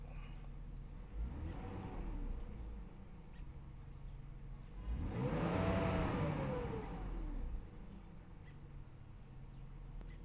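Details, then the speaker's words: 2001 BMW X5 3.0i (E53) at idle: the engine revs twice, then hangs at a raised idle with the foot off the pedal instead of settling to the middle mark. The owner attributes this to a bad alternator found in testing; not confirmed. "it ain't supposed to do that it's supposed to be right between the one and this line here it should stay in the middle and see I don't have my foot on the gas pedal anymore and it's still there"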